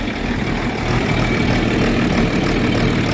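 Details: John Deere 4430 tractor diesel after replacing a fuel filter with a cracked, leaking housing: steady, even idle with a low regular beat, no misses or knocks, running smoothly; normal diesel idle.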